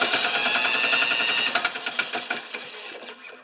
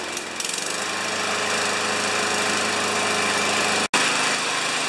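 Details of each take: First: New Chinese-made 150cc mower engine spun over with a drill: sharp metallic ticks about three to four a second, fading as it slows; knocking heard, source unclear, flywheel check follows. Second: New Chinese-made 150cc mower (primer, no choke), first start: steady fast regular engine beat for about nine seconds, no rattle or knock, then winds down; running normally.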